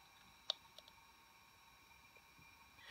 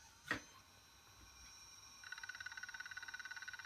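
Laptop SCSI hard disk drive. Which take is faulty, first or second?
second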